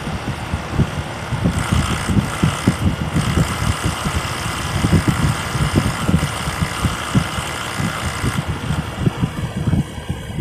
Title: #937. SmartComfort Heat Pump Making Weird Noises Every Few Seconds